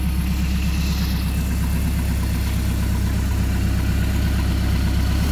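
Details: Rebuilt Mercruiser 170 3.7L marine engine after break-in, about 1.5 hours, idling with makeshift wooden muffler: steady even low idle, no knocks or rattles; healthy.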